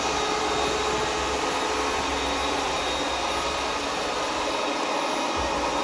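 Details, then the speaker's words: Ecovacs Deebot 901 robot vacuum, cleaning run after repair of a fault where it left the dock but couldn't orient itself: steady, even fan roar with constant hiss, no knocks or grinding, now turning perfectly without touching. "As you can see now, it's turning perfectly, it's not touching"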